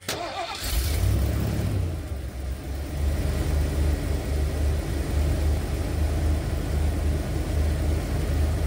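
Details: 1991 Ford Econoline E350 after a fix for the stuck dual-tank fuel selector valve: quick crank catches right away, then steady even low idle with no misses or knocks; normal start and idle.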